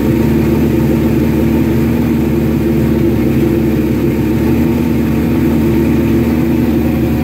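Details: Suzuki GS1100E Mr. Turbo, first start after not running since 1996, after a shot of starter fluid, on choke: an even, steady four-cylinder drone with no knocks, misses or surging at constant speed. Runs healthy; jetting still to be set on a dyno.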